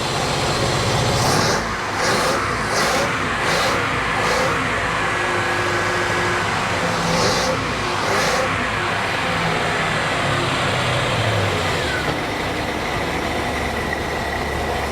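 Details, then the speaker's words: 1988 Bayliner Avanti 3250, 260 hp 5.7 L Chevy 350 V8 with OMC Cobra outdrive, first start after sitting 6–7 years: low, slightly uneven idle with throttle blips, no knocking, runs on all eight; low idle needs adjusting, slight blow-by. "it's running smoothly without any clunking i don't hear anything wrong there's no like rod knocks or anything horrible"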